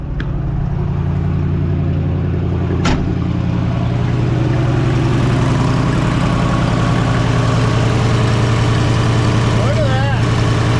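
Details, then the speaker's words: 1968 Chevy C10 small-block V8 that sat since 1996 and was seized until freed, on its first run in decades with WD-40 in the cylinders: deep, steady idle burble with a faint puffing tick from a small suspected exhaust leak. "She sounds good. It's got a little exhaust leak, but sounds pretty darn good."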